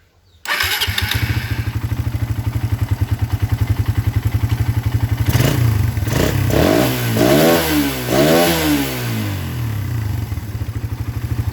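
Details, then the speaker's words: Suzuki Satria FU with standard PE 26 carburetor and box air filter, started and blipped: single-cylinder idles with a steady, even pulse and clean throttle response; runs fine at idle, though owner complains of brebet (stutter) mid-range when shifting 2nd–4th at speed. "Di sini aman-aman saja."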